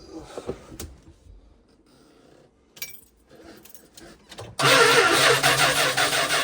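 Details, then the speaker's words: Vintage motor home converted from carburetor to fuel injection, first start attempt on temporary battery wiring: starter spins the engine steadily but it never catches. Gauges show only 2.5 lb fuel pressure against about 50 PSI needed; crank no start from low fuel pressure. "While I was cranking, I was looking at the gauges up there. Um, major concern, only have 2 and 12 lb of fuel pressure. That's not even enough for a carburetor."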